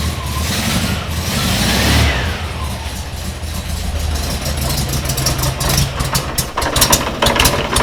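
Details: VW Kombi air-cooled flat-four during restoration, first start after dash rewiring with no throttle fitted: catches and runs with steady clatter, takes throttle blips cleanly, generator light went out; normal running.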